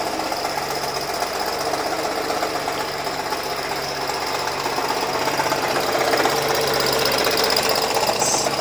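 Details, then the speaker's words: Acura/Honda at idle that a quick-lube shop called a bad engine and someone else blamed on the timing chain: fast, uneven knocking rattle about four per second like a bad rod, actually from an AC compressor about to seize. "So anybody that would hear that noise, automatically your engine is gone, but it's not. You can see the noise comes from down there. I already checked it out. It was darker where we were at, and that AC compressor is about to cease."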